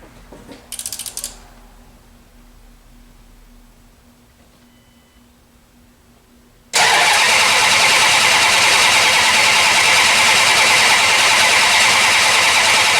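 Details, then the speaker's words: 1968 Plymouth Barracuda with ATK crate motor, new ACES EFI distributor and high-torque starter, before first fire-up: the starter spins the engine briskly and evenly at about three and a half turns a second, healthy cranking. "my high torque starter sounds like it's rolling it over nice and clean"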